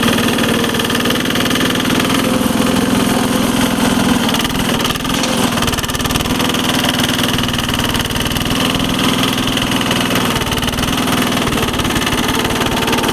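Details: 1983 Case 446 repowered with a Lombardini 6LD 435 single-cylinder diesel, electric fuel pump, high range at full throttle up a steep grade, engine still a little cold: steady, even thump under load, no knocks or misses; normal running.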